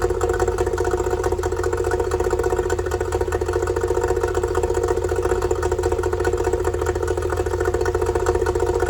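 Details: Yamaha two-stroke outboard after fixing oil leaking out of the bottom of the carburetor: no more oil coming out; steady, even putter about four beats a second with a constant hum; smooth normal idle.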